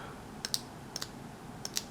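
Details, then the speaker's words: 1994 Saab 9000 Mark IV ABS valve body on bench, solenoids triggered by grounding pins with voltage on pin one: crisp paired on-off clicks each trigger; ABS valve solenoid switching normally. "yep i hear it i hear the solenoid that was me shorting out on the wires i don't know if you can hear it or not"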